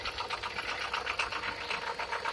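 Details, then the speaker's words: 2007 Dodge Caliber 2.0: fast even light clatter, about eight to ten raps a second, over the engine; noise stops with belt removed, owner suspects a pulley coming apart rather than engine knock, rapid knocking from belt-driven accessories. "So, like I said, just to gain some kind of insurance of the simple fact, once you take the belt off, the noise stops. But there is a noise coming out of that automatic. I believe it's the pulley system that's coming apart on it."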